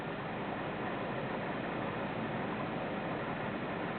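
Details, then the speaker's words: Vindon cabinet humidity system with the humidity set to 65. It reached the set point, the humidity switched off and the relay was heard. An even, steady hiss with no knocks or tones; the system is operating normally. "see it's hit the set point so what's happened is that the humidity is Switched Off you can hear it uh so let's just have another listen here it's set at 65 the relay is on"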